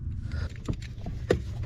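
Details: 2014 Ford F-150 EcoBoost FX2, battery reconnected: repeated soft irregular clicks and taps from under the dash a few times a second; a blend door actuator skipping, seen moving back and forth, needs replacement.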